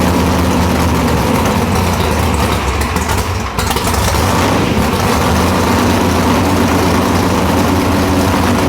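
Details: Nitrous Nova big-block V8 after replacing two pistons (one was found burnt): loud, deep, steady idle with a slight lumpy pulse and no knocks or ticks; runs evenly after the rebuild.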